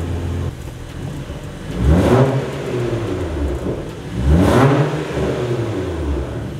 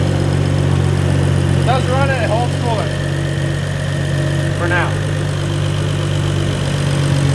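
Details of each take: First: BMW 335i with N55 engine, after the intercooler was refitted; possibly an unplugged MAP sensor and a drivetrain malfunction warning. Two lazy revs climb slowly and fall away with no crisp pickup: sluggish throttle response. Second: BMW E92 335i with N55 turbo six, started after an intake, intercooler/radiator and coolant line install, with a drivetrain malfunction warning; holds coolant without leaks. Steady, smooth low drone with no ticks, knocks or hissing leaks: normal idle.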